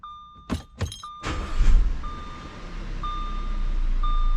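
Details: 2013 Audi Q5 with a newly installed replacement heater blower motor (original resistor kept), tested at full fan speed: after clicks and a chime, an even rush of air builds and holds steady, blower running smoothly.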